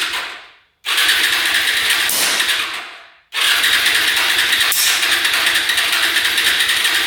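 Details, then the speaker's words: Hyosung Aquila 250cc motorcycle cranking with gas poured directly on the carb: hissy bursts with sharp pops blowing back through the carb, no catch. Timing suspected off; spark plugs not very wet. "You can hear it popping through the carb. So typically when it blows back through the carb like that, it means timing's off."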